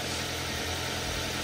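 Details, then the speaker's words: Toyota Avanza idling after the timing cover, valve cover and lifters were replaced: the earlier rattle is gone, but a faint dull knock remains under the engine note because the pistons have started to wear and slap. "Mobil ini pistonnya itu udah mulai bunyi."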